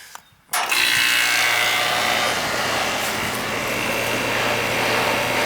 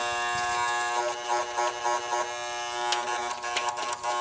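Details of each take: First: Air conditioning condenser unit during annual maintenance, restarted after a weak capacitor (should read 40) was replaced because it was acting weird; no more noise, steady even fan rush over low constant hum, no buzzing, running properly. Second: Air conditioning unit at annual service: continuous buzzy electrical hum with harsh edge; run capacitor measured about 32 µF against 35 rated, to be changed; component humming, cause suspected, not confirmed.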